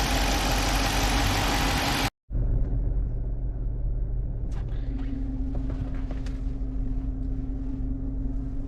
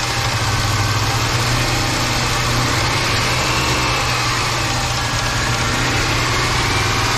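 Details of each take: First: Engine after a top overhaul for a knocking noise on a 5.7 with hydraulic lifters: a steady, fairly quiet idle rumble with no clear knocking, and a faint hum comes in later. Sounds like a normal idle. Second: 5.7 V8 after a top overhaul with head bolts and rocker arms retorqued, at idle: steady low hum with a rapid, busy knocking clatter; hydraulic lifters mentioned, cause not confirmed.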